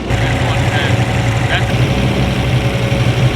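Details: LS-swapped BMW E46 at low idle, loud and lumpy with an uneven beat over a steady drone. The lifters seem stuck open, likely leaving most valves partially open despite attempts to bleed them; it sounds better after work but still isn't right.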